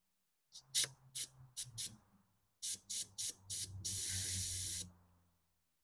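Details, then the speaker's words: 2001 BMW Z3, M54 engine, cooling system pressure test after refitting a plastic OEM thermostat and OEM-style hoses: air slowly bled off the pressure tester, short hissing bursts then a longer steady hiss, air bubbling since the system isn't full; normal pressure release. "do it slow don't want to jar my system here this is plastic leave all that air I can hear bubbling up in here because it's not full of uh fluid let it all out okay perfect pressure is released"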